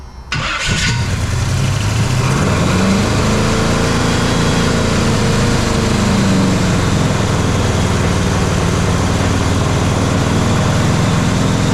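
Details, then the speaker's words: Jeep XJ with swapped 350 V8, first startup, distributor loose: it cranks and catches into a lumpy, ragged idle. It is running on only a few cylinders; number one is not firing, and only the cylinders with compression work. "Okay, first startup was so-so. It does start. It's definitely running on only a couple of the cylinders. Looks like number one's not firing."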